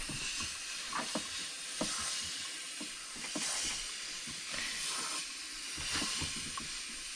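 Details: Leak-down test on a cylinder suspected damaged, Mazda BT-50 / 2007 Ford Ranger 2.5L engine, Snap-on leak detector reading 20%: continuous airy hiss with small clicks; tester adapter possibly not sealing, compression test earlier was fine; not confirmed.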